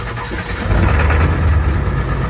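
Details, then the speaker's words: Ford 7.3 Powerstroke diesel truck rumbles up, then settles into an even, smooth idle. This follows pulling the injectors for troubleshooting, hand-cranking the oil out and re-torquing; an earlier fuel pump and return spring job hadn't fixed it. It now runs much better; oil flows from front injectors 1, 3, 5 but not 7. "Well, truck started fine. It sounded like it was running fine."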